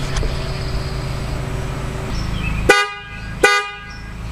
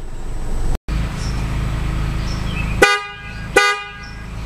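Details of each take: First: 2009 Toyota Camry horn: two short honks over traffic, thin and lacking punch, quieter than when new; the high-note horn is failing, and both horns are replaced with FIAMM units. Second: 2009 Toyota Camry with new FIAMM horns replacing the originals, long test blow for electrical load: loud steady note for a few seconds, then two clean short toots; horns work properly, system handles it.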